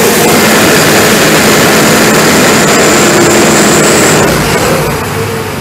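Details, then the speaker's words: ARIACOM SAX 112 diesel screw air compressor (Cummins 93 kW engine, Atlas Copco screw block, 12 atm working pressure), warmed up then loaded via toggle, at maximum pressure with the engine at 2000 rpm: heavy steady diesel drone with constant air rush, no knocks or misses, easing slightly at the end; normal loaded running. "Мы даём обязательно прогреться компрессору какое-то время и после этого поворотом тумблера можем нагрузить его"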